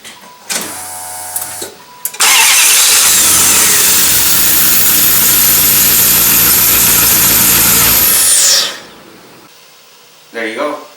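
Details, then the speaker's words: 1995 Dodge Ram 1500 with 360 (5.9 L) V8, after replacing a starter whose built-in solenoid failed: short, quick even cranking, then the engine catches cleanly and settles to a steady idle; normal crank and start with new starter. "all right so I'm now replacing the defective starter now I'm going to show you what a new starter should sound"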